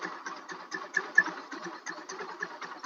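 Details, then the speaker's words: Rusi Macho TC150 single at idle after fitting a new online-bought tri-electrode spark plug, judged well suited to it. A light, quick putt-putt at about four or five beats a second, even and unhurried; a clean, healthy idle. "yung tunog niya sa minor ng ating nabiling spark plug sa online. Bagay talaga dito yung ganitong tri-electrode."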